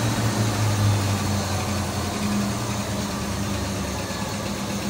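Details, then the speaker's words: 1964 Ford Fairlane V8 barn find, 30,000 original miles, sat about 13 years, after correcting gaps that were too wide: low, steady idle with even beat, no misses or stumbles; now firing cleanly on all cylinders. "Go ahead and fire it up. Okay. Sounds better already."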